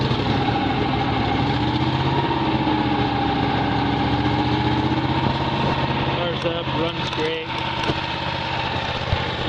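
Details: Miller Legend 302 welder, Kohler 20HP V-twin, already warm so no choke, set to 18 with the voltage knob all the way down. Steady, even drone with no knocks or misses. Engine runs fine, but there is no welder output before repair.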